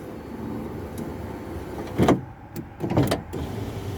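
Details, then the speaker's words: Project Ruby window regulator repaired with the guide glued back and runners greased: motor whirring with two sharp clunks about a second apart as the window travels, the cable cam still slipping out of its guide. "that noise you heard is probably ah yeah it's come out again let's have a look uh yes it seems that the cam is still slipping from the guide"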